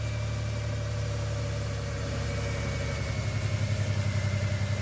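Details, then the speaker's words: 2000 Toyota 4Runner with a fuel injector problem, running on vaporized fuel at idle: low rough idle breaking into an uneven stumble, a slight misfire; higher rpm runs clean, and the mass airflow sensor still needs to be made to work. "has a little bit of a misfire so I think we got it we're gonna have to work on the mass airflow sensor and get this mass airflow sensor working"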